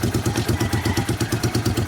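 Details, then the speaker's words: 1988 Honda Bros 400cc V-twin, brought in for rewiring, after easy start: steady, even loping idle pulse, no misses or stumbles; slight over-rich smell noted, main jet 100; sounds healthy and settled. "Ayos pala no. Eyful start pala eh. Madali ng i-start. Nakataas na. Madali lang i-start. Maganda."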